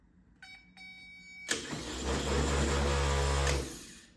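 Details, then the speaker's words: 1970 Triumph TR6, a donated, reportedly freshly rebuilt K&P Electrics starter: a few short clicks, then strong steady whirr holding pitch two seconds before winding down; healthy starter, sounds much better. "that sounds [Music] better okay that sounds much better"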